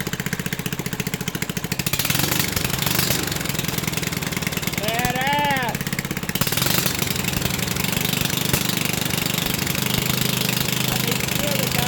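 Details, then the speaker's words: 1974 Briggs & Stratton 8 hp 190402 single-cylinder, revived after being left for dead: a steady rapid putter at high idle with even firing and no misses or knocks; it runs well, though the revs hang high and the old carburetor needs replacing. "But, you know, enough talking. That's low idle. Wait a minute. That's high idle right there."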